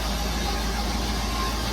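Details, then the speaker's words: Classic muscle car on its first test drive in 25 years, carb likely dried out, choke unset; after moving a battery cable touching the fan: steady, even low rumble at cold fast idle, no ringing or rubbing. "I'd let it warm up for a minute and it'll come off the fast idle. But it works."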